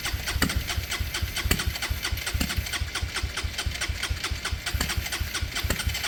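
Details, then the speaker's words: Motorcycle converted from fuel injection to a Hanway carburettor, computer disconnected, starting spray tried: irregular chuffing with hard knocks, kicking back while cranking and never running; spark heard, owner recalls kickback earlier from timing issues, cause unknown; considering a replacement throttle body. "I can hear spark. I can hear it sparking. That's weird. That back kick. That's weird. I've had that before, but that was timing out issues. Why is it doing that now?"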